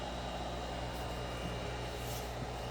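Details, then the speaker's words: Constant low hum with a buzzy edge that never changes, from a Cerwin Vega XLS-215 speaker driven by a Sinbosen K4-1000 amplifier; cause unknown, owner plans to check his wires. "we've got a crazy Buzz going on here I'm gonna check my wires"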